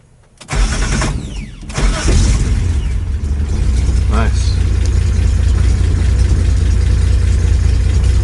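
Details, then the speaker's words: 1975 Datsun 280Z restart on the first day owned, before tune-up and oil change, after sitting an unknown time; starter cranks briefly, engine catches cleanly and settles into low, steady, even idle. "oh yeah this is the first day with the Datsun started right up let's try that again"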